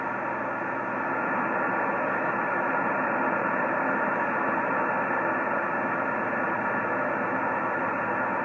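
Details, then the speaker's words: Yaesu FT-1000MP Mark V 200 W HF transceiver on a 75 m dipole: loud, steady hiss swamps receive so stations are barely audible; excessive receiver noise, cause not yet found. "my problem is I got all this noise you just barely can hear him here somebody talked like it was just then"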